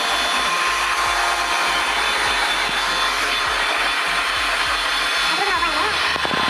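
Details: Window air conditioner running after cleaning, harsh airy whirr with a rough edge over the blower rush; noise from the fan, to be adjusted.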